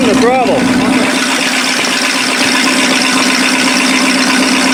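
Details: 1956 Lincoln Y-block V8 fired up: it settles into a steady, even idle with a soft regular beat and no knocks or misses; running healthy.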